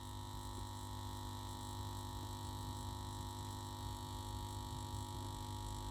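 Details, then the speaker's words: 1967 WEM Dominator MK2 valve amp on a Variac above 200 volts during service: steady metallic mains-frequency hum from the power transformer, suspected loose laminations; intermittent, it stopped by 235 volts, bolts to be tightened. "Now that humming has appeared again, as you can hear, that metallic humming, as I've got the voltage up past 200 volts. So what is causing that? That's the power transformer, and that sounds like the laminates to me."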